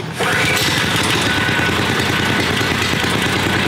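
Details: Subaru Robin 9 hp single-cylinder engine swapped into Yerf Dog kart, governor arm cut, aftermarket intake: steady even running from start, no knocks or misses, quiet; normal running.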